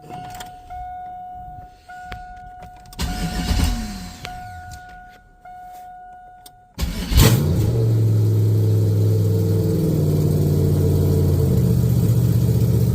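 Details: Chevy S10 with LS V8 swap, first fire-up with a red-blue harness on a reprogrammed red-green computer: chimes and door noise, then cranks, catches, settles into steady deep smooth idle; paint burning off manifolds; healthy.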